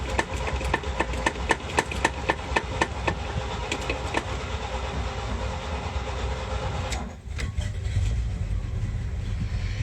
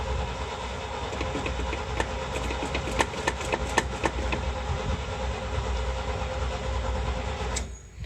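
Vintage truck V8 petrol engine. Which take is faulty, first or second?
first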